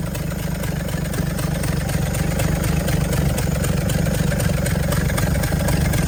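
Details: 1964 Chevrolet C60 grain truck, inline 292 six, four-speed with high-low rear end: steady low rumble with an even, quick firing beat settling in after start; the old six catches and keeps running smoothly, normal running.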